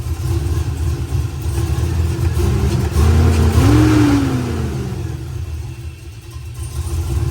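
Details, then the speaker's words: Truck after a mild cam swap on the factory tune, idling with the passenger valve-cover vacuum line pulled off: a low, lumpy idle hunting up and down, close to stalling but less so now. "Doesn't want to stall as bad with that vacuum line undone."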